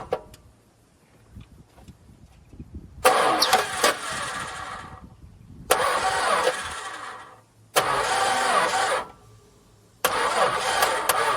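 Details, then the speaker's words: Long-unused VJ Dodge ute on its first start attempt, fuel poured into the carburettor bowl and leaking: several short bursts of dragging, laboured cranking that never catch; battery sounds weak. Slow cranking, cause not confirmed. "Oh, our battery sounds a bit dead. We'll see what we can do about that."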